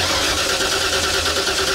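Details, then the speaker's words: Older Ford truck, EEC-IV ignition: steady even cranking that never fires; crank no start with no spark, test light identical and steady on coil positive and negative while cranking, meaning no coil control, so don't replace the coil. "identical so here's the thing when you see identical test light patterns if you want to call it on coil positive and coil negative that means there's no control"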